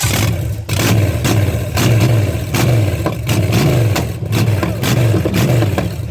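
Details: Deep V8 rumble from a $50 Chevy 305 small block of unknown history, fitted with a carb and run without coolant, rising and falling in repeated blips about every two seconds; smooth, even, clean return each time; healthy engine revving normally.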